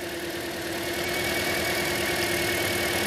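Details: 2010 Toyota Corolla 1.8 petrol with code P0301 idling slightly unevenly with a faint stumble during the coil-unplugging test. Cylinder 1 misfire from a failed ignition coil.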